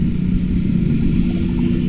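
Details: Suzuki Satria F150 with the middle exhaust pipe joint reworked: smooth, muted engine drone with a steady low hum and no rasp or puffing, though audible at high RPM. Exhaust sealed and quiet; normal note.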